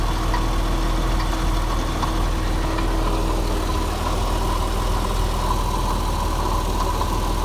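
Steady idle with a fast, light rattle riding over the engine note, about three per second; sounds like a failing water pump.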